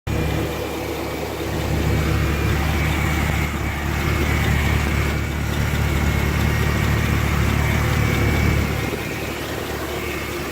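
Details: Engine idling the day after an oil change to Penrite 5W-30 full synthetic: light, quick, steady-rate tick over the low idle rumble; owner asks whether it is lifter tick or rattle, unconfirmed.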